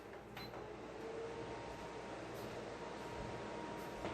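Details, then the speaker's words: Aloha Breeze tower fan from about 2005, cleaned and serviced after oscillator motor failed, on high speed: steady even air rush with faint low hum, no rattles, circulates the room well. "in high speed this thing actually does do a pretty good job circulating there"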